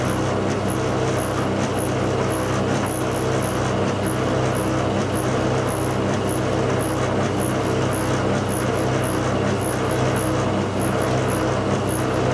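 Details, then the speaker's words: Tumble dryer bought August 2007, months old, engineer called out: constant deep rumble with a slow thump about once a second and faint high chirp from the turning drum, noise dreadful; drum rumbling noise. "You can hear the noise is dreadful."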